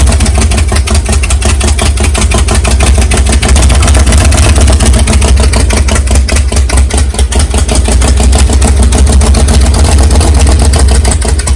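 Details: Big-cam 454 big-block Chevy, first cold start on engine stand, no tuning, carburetor still problematic: loud deep choppy fast idle with uneven lumpy lope, steady; fresh engine running healthy, camera mic may exaggerate a knock.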